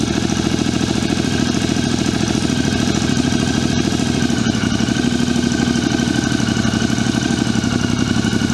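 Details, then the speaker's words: 2006 Triumph America after patching a cracked five-piece airbox lid: steady, even idle with smooth low thrum, no knocks or misses; air disturbance felt at intake; normal idle. "Well, that sounds pretty good. I can actually feel some air disturbance there."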